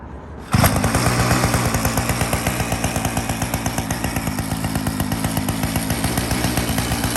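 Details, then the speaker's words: Restored 49cc mini chopper, first start while still cold: cranks, catches at once and settles into a quick, even single-cylinder putter with steady beats and no knocks; healthy cold start and idle. "let's heavy crank first start still cold"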